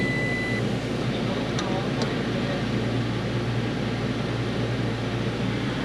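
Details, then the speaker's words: Toyota Tacoma V6 after replacing spark plugs with Denso Iridium plugs: even, steady idle hum with no misses, ticks or stumbles; much better than before, though owner still suspects an issue on the right bank. "sounds like a try and get that sounds like really good nice better than the first time I looked at it yeah a lot better than the first first time that's for sure"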